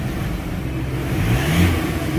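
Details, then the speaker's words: Ford Everest Titanium diesel that ran hot with throttle delay, vibration and low power, after a ceramic metal-carbon chroming engine treatment; revs up cleanly and climbs steadily with light throttle, a deep even drone without knocks or clatter, RPM now much better. "Okay guys so kaya mapapansin natin guys ibang-iba talaga yung ah andar yung RPM ng makina sapagkat yun nga napaliwanag na natin na na-chrome niya na kasi at nilinisan niya yung buong system."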